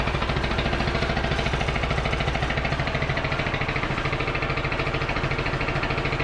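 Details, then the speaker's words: Craftsman T1000 MTD riding mower, after servicing: steady even idle with loose marble-like rattle over every beat, loud muffler, little backfires when throttling down; running but mechanically noisy. "does sound a lot better still sounds like a box of marbles though I don't I don't particularly like these engines they just seem very very cheaply built"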